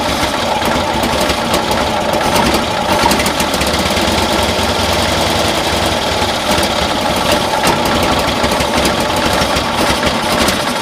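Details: 1972 Cushman Truckster pickup, new carburetor and vacuum manifold fitted, same issue: uneven stumbling beat with irregular pops and skips, appearing to misfire as rpm increases; idles better now; spark then compression to be checked, owner suspects timing.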